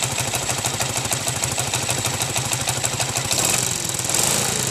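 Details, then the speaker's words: Motorcycle single-cylinder, silent before its cylinder head rebuild (valves, seals, guides replaced), now at idle makes a sharp quick ticking knock every firing pulse; mechanics variously suspect piston, connecting rod or crankshaft; internal knock, source undetermined. "o motor antes dele ir ele era muito Silencioso aí quando voltou da oficina voltou com esse barulho"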